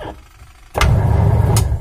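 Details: Washing machine after belt repair: after a short quiet spell the drum starts with a steady, even low hum, no slapping or squeal; sounds normal.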